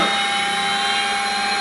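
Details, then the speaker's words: Sperry C-5 direction indicator gyro (1949 design), 3-phase 115 V AC 400 Hz, spinning up in corrected direction: steady high whirring hum, clean even tones, no rubbing or grinding; healthy. "Maybe a little bit better. It Sounds much better. It should take 2 minutes, but we're not that patient."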